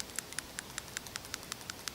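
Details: 1996 Honda Accord after head gasket job, burning oil (owner suspects stuck oil control ring in cylinder 2); after cleaning the PCV valve again, a light crisp tick repeats about every fifth of a second: PCV valve ball rattling freely again.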